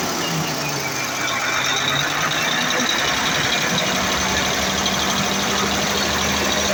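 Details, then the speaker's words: Mercedes-Benz Actros V6 diesel, after replacing the injector nozzles and an electronic unit pump: steady idle with an even clatter and no hunting; the rpm fluctuation and hard starting are resolved. "RM is moving fine in the ICU and the high starting issue has been resolved"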